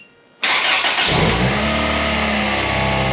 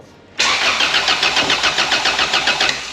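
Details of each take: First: Honda Civic with swapped-in B16 engine, first start with full exhaust and cat fitted: cranks and catches instantly, flares then settles into steady rev, even exhaust note, no ticks or knocks; healthy. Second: Honda Civic with a swapped-in B16 engine on its first start attempt, with ignition timing being set on a laptop: even starter cranking at about three and a half compression pulses a second for two seconds; it makes spark but never fires or catches.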